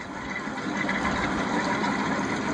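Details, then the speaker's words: 2005 Yamaha F250 outboard, port motor at low idle used as comparison to the throaty starboard one; smooth, quiet, even hum with no knocks or rough beat; idling normally. "sounds normal sounds quiet and"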